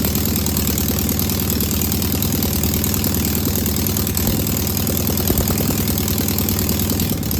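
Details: Single-port air-cooled flat-four engine idling right after its first start on a known good carburetor: smooth, unbroken even beat with no misses or knocks. No smoke or leaks, a good running engine.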